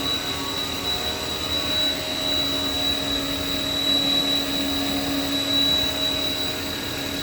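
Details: Haas VF-3 vertical machining center, spindle at 5,000 RPM while the table makes linear cross-axis moves at 40 inches a minute, recorded about 8 inches from the spindle. A steady, smooth whir with a clean high tone and no roughness. Normal, quiet spindle running.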